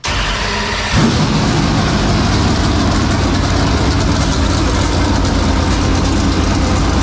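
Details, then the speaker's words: 465 ci V8 race engine started for the first time in three years, after working on fuel pressure, now with better pressure: cranks about a second, catches and settles into a deep, steady, even idle with no stumble. It sounds big and healthy. "it just sounds like whoa like it big it took all the air out of the room"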